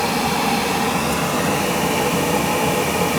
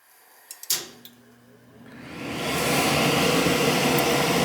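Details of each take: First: Gas boiler after the bad control board was replaced and a connection that wasn't fully in was fixed: steady, even rushing roar of the burner flame with no popping or surging. Burner lit and running normally. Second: Gas boiler with no heat: a few clicks, then the inducer fan spins up to a steady whoosh with no burner ignition; control board found faulty.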